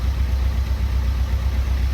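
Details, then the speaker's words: Fiat 500 Pop diesel with replacement engine, running 50 minutes after an oil and filter change: steady low diesel drone held slightly above normal idle, on its third DPF regeneration, with earlier plumes of white smoke now reduced. "you can hear it now it's slightly rev it's actually on its third region we've been we left it running for 50 minutes and it's on its third regen"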